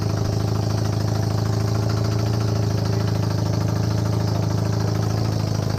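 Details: Honda CB250N Superdream twin project bike, built from boxes of bits, with new spark plugs, on partial choke. A steady, even low thrum with regular firing beats for six seconds and no misses or knocks. Clean normal idle; large front oil leak.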